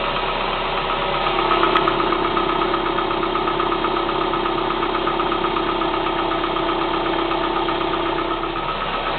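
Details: Kia Spectra 1.6 at steady cold idle: regular light tapping around 160 per minute over the engine; knock present, cause undetermined.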